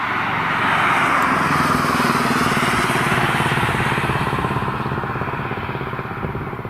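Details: BMW M135i with B58 straight-six driven hard at the Nurburgring: high revs with a ragged, uneven exhaust pulse, dropping cylinders under load; misfire, cause unknown.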